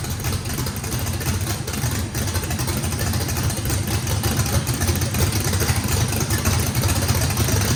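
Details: Brand-new drag-race motor with a radical camshaft, first fire-up, deep rough idle with uneven loping beat, no knocks, rattles or blow-by. Overlap and lobe separation needed lots of throttle, blade about six percent open; normal lopey idle.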